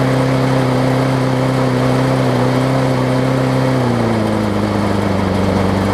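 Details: John Deere JS63C walk-behind mower, before flywheel key replacement, on fresh gas: the engine races high with a fast, slightly hunting drone, then the pitch drops. It runs rough and fast from a partly sheared flywheel key; the owner thinks it may also need carburetor cleaning.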